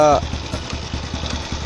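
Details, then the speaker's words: 110 cc repo motorcycle, single cylinder, idling after carburettor adjustment with the air screw set one and a half turns out: an even, steady beat with no hunting or misses; carb set right. "Ini motor yang saya gunakan motor repo 110 cc ya Nah ini hasil setelan kabilator yang tadi saya peragakan hasilnya begini"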